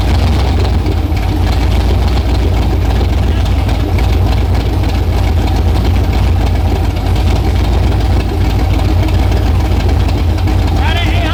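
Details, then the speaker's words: LS V8-swapped Nissan R32 GTR, already warmed up, idling steadily around 700–800 rpm after the idle was adjusted. It is deep and even with no miss or knock, though the idle is set rather low. Normal warm idle. "RPM it's all 700 700 800 RPM it's already warmed up too"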